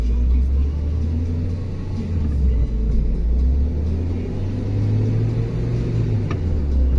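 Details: Car on a lift, engine revved in gear: deep steady drone that rises with wheel speed, from a worn right front wheel hub bearing.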